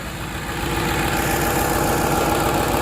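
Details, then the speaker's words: Ford F-150 4.6L petrol V8 idling smooth as glass with a steady low hum and no knocking or timing-chain rattle, oil pressure reaching the chain guide tensioners; normal idle. "i mean she's smooth as glass i mean idling perfect"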